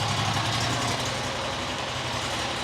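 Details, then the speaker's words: New John Deere XUV side-by-side after new fuel filter fitted: steady, even idle without surging or dying, much better than before; idle screw adjustment made no difference, likely debris in the low-speed circuit. "Idling a lot better than it was. Now, remember I turned it in some."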